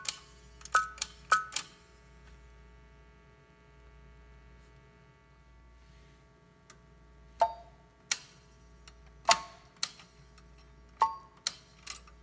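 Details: Western Electric prototype 10-button 302-style push-button phone: sharp button clicks, each followed by a thin, faint tone barely above the clicks. Tone is very weak; unknown whether a component has failed or it worked this way originally.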